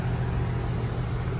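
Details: Goodman AC condenser about three to four years old, not cooling: a steady low electrical hum from the motor because the run capacitor has failed; poor airflow is suspected of burning capacitors out faster.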